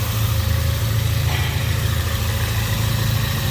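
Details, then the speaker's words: 2017 Ford Focus RS EcoBoost warming up after catalytic converter replacement (P0420) and a new turbo oil feed: a smooth, even, quiet low idle with a steady rumble and no knocks or ticks; no leaks found. "so far running good very quiet compared to some of the other ecoboost motors nice there nothing leaking down here"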